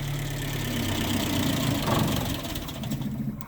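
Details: Land Rover Series III 109 van, first start in over 2 years after carb overhaul for earlier flooding, popping and backfiring; cold, miserable day, on choke: catches and settles into steady even low chug about four beats a second, no popping or backfiring, normal.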